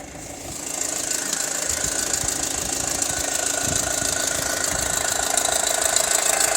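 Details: 2006 Audi A4 2.0 TFSI, warm after hard driving, Mobil 1 5W-30: loud, fast metallic rattle at idle, about 83 dB at the ECU, from worn timing chain and tensioners; quiet after replacing chain, belt and tensioners.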